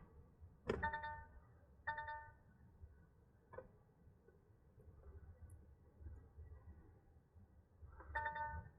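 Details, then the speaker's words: DAF truck with CAN timeouts, EBS ECU plugged in, bare VCAN 2 wires being manipulated: short electronic dash warning chimes at irregular intervals over a quiet cab; intermittent CAN wiring fault, fixed by repairing and securing the harness. "I'm just going to manipulate these CAN wires, see if we can get it to play a song. As you can hear, every time I touch these bare wires, oh, it was."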